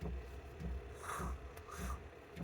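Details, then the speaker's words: Diesel heater in a homebuilt micro camper during 5°F winter camping, turned down in the morning: soft, regular low ticks about every 0.6 seconds over a quiet hum, the fuel pump clicking normally. "Morning everybody. Um, just woke up. I don't know if you can hear the clicking of the diesel heater, but uh, yeah, it's pretty warm in here."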